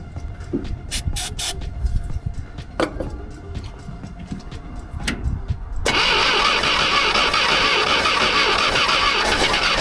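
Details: Old "800" truck engine, recently revived after the distributor was moved one tooth toward #1, restarted after refitting a part near the fan and crank: clicks, then it catches at once into a steady, even idle with no misses. Normal idle.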